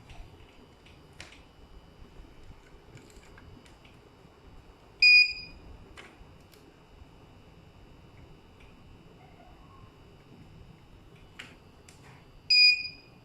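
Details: UPS under repair and test, with 230 V AC output confirmed: a quiet room, then two short high-pitched beeps about seven seconds apart as it runs on battery backup; the inverter is working normally.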